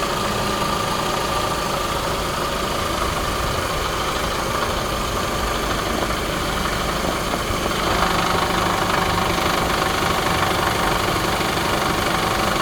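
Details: 2017 Toyota Camry SE petrol idle with a light, irregular metallic rattle from the engine bay; engine mounts and belt tensioner already replaced; source unknown.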